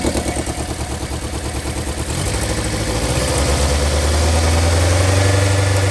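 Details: 1990 Toyota Corolla LE 4A-FE at idle: stumbles with regular uneven beat about three per second, smoothing as revs rise; misfire from blown head gasket.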